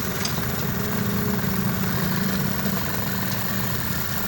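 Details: 2023 Honda CD 70 after head rebuild with new parts to cure persistent tappet noise: even, steady single-cylinder putter at idle with no tapping or rattle; engine sounds healthy.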